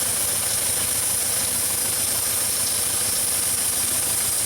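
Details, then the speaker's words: Engine with lean codes at idle: steady high hiss that changes pitch slightly when the injector is wiggled and affects the engine; vacuum leak past the injector seals. "customer has some lean codes and we can hear a vacuum leak down here and as i wiggle this it changes pitch just a little bit"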